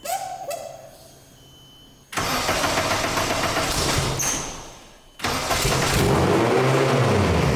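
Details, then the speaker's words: Nissan Cefiro with built Honda K24A2 swap and T56 Magnum, first start with exhaust, no coolant yet: engine catches and races to about 3,000 rpm instead of settling; startup idle flare, drive-by-wire throttle needs adjusting. "Sounds like we need to adjust the drive-by-wire throttle. It's wanting to zing, but it starts."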